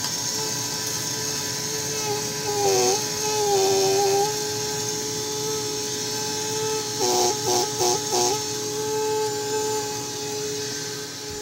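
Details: Older Electrolux vacuum with new cord, roller power switch: steady high motor whine with clean hum underneath, then long slow fading wind-down after switch-off; normal running and wind-down.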